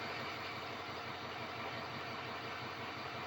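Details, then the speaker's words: Diesel truck after replacing all 8 glow plugs, glow plug codes gone (only P1000 readiness remains): even, solid idle with a steady rumble. The exhaust is no longer choppy as it was before; it sounds healthy. "That exhaust is not choppy at all. It actually sounds really good, really solid."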